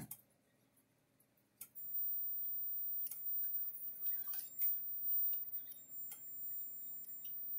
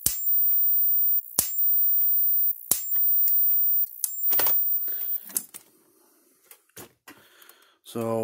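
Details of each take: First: Kencove KF13000 fence energizer (Power Wizard-made, 13 joule, 110-120V) plugged in on half power: irregular sharp ticks and humming with a longer delay instead of a steady pulse beat. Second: Kencove KF13000 fence energizer (Power Wizard-made, 13 joule) after burnt parts on its board were fixed: sharp, even snaps about every 1.3 seconds; healthy pulsing, tester reading about eleven thousand.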